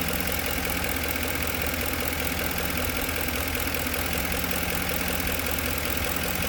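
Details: 2010 Ford F-150 at idle: faint, uneven light knock about two to three per second over the engine note; cause unknown.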